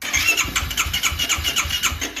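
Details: 2009 Yamaha YFZ450R fuel-injected: fuel pump heard priming, then the starter turns the engine in even pulses about four a second but it never catches; crank no start from a weak electric fuel pump.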